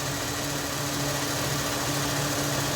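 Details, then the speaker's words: 2001 Ford Mustang 3.8 Essex V6 after replacing all six fuel injectors for P0171 lean bank 1 code and sluggishness: steady low idle, slight vibration, idling smoother than the previously shaky engine. "A little bit of a vibration there. It is idling smoother."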